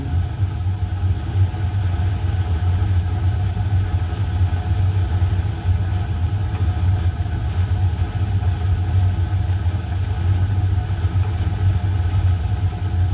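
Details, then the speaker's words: Home furnace after maintenance with new filter and cleaning, fan switch clicks and blower runs: constant low rumble, no scraping, ticking or whine; normal blower operation. "You can hear the fan switch click, click, click. Yeah, fan running. That means the house get warmer in a minute."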